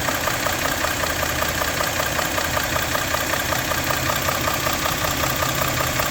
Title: engine knock